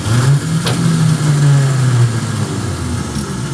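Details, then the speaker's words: 1967 Dodge Dart sitting 5+ years, starter just installed: steady two-second whir with no cranking beat; starter spins freely, possibly not engaging flywheel. "that sounded like the starter spin in but I don't know if it's working okay I don't know what that deal is I don't know if it's been in the flywheel or I don't know"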